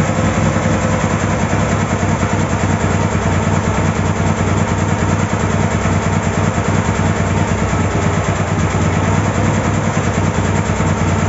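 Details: Ural 650 twin started after a breakdown repair; steady low, lumpy idle with an even chuffing beat, no knocks or misses; settles and idles healthily.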